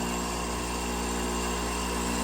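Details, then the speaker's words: Fluoromizer 3500 recovery compressor at 4.5 A, vibrating but not even hot to the touch, with air cooling and fan running: steady humming drone with a buzzy vibration and a fixed pitch; sounds healthy, normal running. "But thing's vibrating its little heart out. 4.5 amps. Not even hot. Put my fingers on it."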